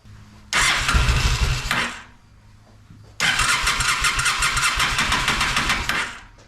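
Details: Honda Shadow motorcycle (possibly 650) that sat almost a decade, old bad gas, on choke with fuel sprayed in: two short ragged bursts of uneven firing dying between them; runs only on sprayed fuel, clogged carburetor jets.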